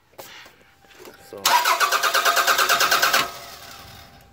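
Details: 1998 Toyota Camry after fixing a no start from a faulty wiring harness, having replaced fuel pumps; starter cranks about two seconds, engine catches cleanly and settles to an even, steady idle, normal.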